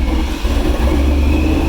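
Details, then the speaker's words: 2018 Ford Mustang with newly installed ProCharger P1SC supercharger, first startup after install; tune still being learned, seemingly running a little rich. Deep, even, steady idle with no knocks or whine spikes; engine and blower sound good, normal idle. "Car sounds good. Blower sounds good for sure."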